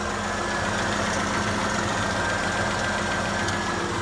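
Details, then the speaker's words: 2005 Hyundai Santa Fe with a leaky water pump, treated with K-Seal: steady warm idle with an even hum and no top-end ticking. The lifter tick from start after long sitting faded after about 10 minutes running; oil change due. "once it ran for about 10 minutes the lifter tick went away i definitely need to do an oil change on this thing"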